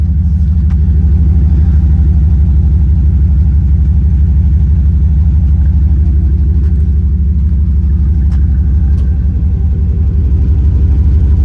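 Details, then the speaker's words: 1977 Dodge truck with 5.2 V8, air cleaner missing, no exhaust smoke: deep, steady idle burble with even firing and no stumbles or knocks; smooth, healthy idle. "So smooth. That's a happy truck right there. It's a happy truck."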